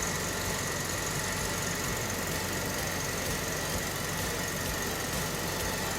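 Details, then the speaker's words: 1977 Jaguar XJ12 Series 2 V12 running after starter replacement, clearing possible flooding from injectors running while the old starter was stuck. Dense, even engine note that stays steady with no misses or clatter; running cleanly again. "it could be a little bit flooded because the co-star injectors ran when the starter was broken so but we'll see go so happy it's running again I'm gonna clear out the flooded"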